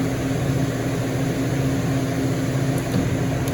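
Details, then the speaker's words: Walk-in freezer that was not cooling, condensing unit restarted after three 30 A fuses were replaced: a steady hum with fans running; when the solenoid reopens, a whoosh of refrigerant flows, and it runs normally. "yep so that solenoid just closed we'll turn it back on here it open you hear the wish of freon"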